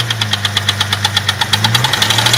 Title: Jeep 4.0 knocking noise cold engine